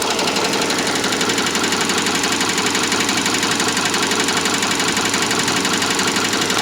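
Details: Subaru Legacy 2.5 SOHC at idle: fast, even sewing-machine ticking, about three per second, over a steady idle; a top-end tick of unknown origin.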